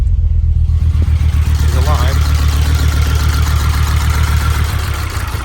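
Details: Audi 100 S4 five-cylinder, first run after head work, no radiator or coolant fitted. Deep, lumpy idle with an uneven beat about four times a second, one cylinder not firing. Owner suspects pumped-up hydraulic lifters holding valves open.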